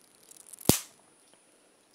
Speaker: it's a little static electricity you guys can see that when it gets up that close